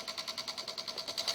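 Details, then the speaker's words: Microsol NG2 voltage stabilizer (110–220 V input, 110 V output) with oscillating output voltage: fast regular relay clicking about eight to ten a second with light buzz, relays chattering; faulty relay and swollen capacitor found, can damage connected devices. "Aí, ó. Mas aí ele fica com os relés, já caiu, ó. Então isso aqui danifica os aparelhos."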